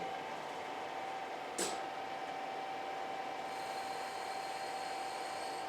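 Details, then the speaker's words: Hardinge DSMA machine making parts: steady even hum with constant mid-pitched hydraulic pump tone and brief hiss; pump noise, not the spindle, which runs smooth; normal running. "And the spindle, you hear how smooth that runs? That noise you're actually hearing is the hydraulic pump running. It's not the machine."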